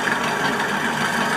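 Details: Stand fan running: fast, rough clattering rattle as the loose blade moves back and forth on its shaft and slips; a screw at the back of the blade hub is involved.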